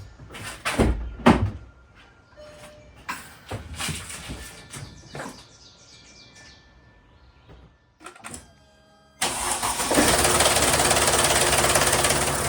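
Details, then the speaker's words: 2012 Mercedes GL350, OM642 3.0L V6 diesel, 160,000 miles, chain replaced 70,000 miles earlier, first cold start after fitting a new OEM INA tensioner: loud metallic clatter as the tensioner fills with oil pressure; timing chain rattle, later needing a full chain replacement. "Okay, so we heard that rattle. I was expecting that. That was probably a worse rattle than I've ever heard. But again, it was a brand new tensioner and it had to fill up with that oil pressure."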